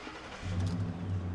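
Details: 2010 Ford F-150 4.6L V8 with a no-start, after fuel pump and driver module were replaced; the real fault was the PCM. It starts immediately after a used PCM is programmed, revving up smoothly with a deep, even note and no misses.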